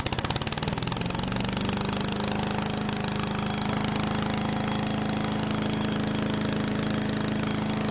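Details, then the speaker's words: Troy-Bilt chipper shredder model 24A-414B711, direct drive, test run after a new carburetor fuel line fitting and an oil change; small single-cylinder engine picks up speed in two seconds, then holds a steady, even beat. Normal running. "all right nolleke sounds good that clanging has idles down it's the type of shredding blade it uses there's a name for it and forget what it is but it's actually centrifugal so it comes out at high rpms and then as it idles down here clanking in"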